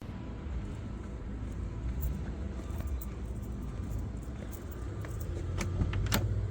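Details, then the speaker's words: Car with snapped exhaust manifold, exhaust dragging, leak ahead of the silencer, revved: deep, raw, uneven low rumble with a rasping edge; exhaust leak from broken manifold, to be repaired with a spare manifold section. "Driving on the motorway, things got very loud. I must have got pretty sparky because the car behind me really backed off because my manifold had snapped and the exhaust was dragging on the floor."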